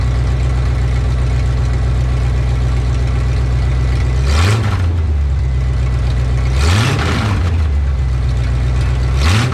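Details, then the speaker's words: 1984 Ford F-150 with its old 302 V8, just after a new oil pump was installed, revved while checked for leaks at the rear main seal and oil pan: steady smooth low idle with three quick clean blips, no misses or knocks; healthy. "I'm going to rev up the engine a couple of times and uh we'll see if it's leaking"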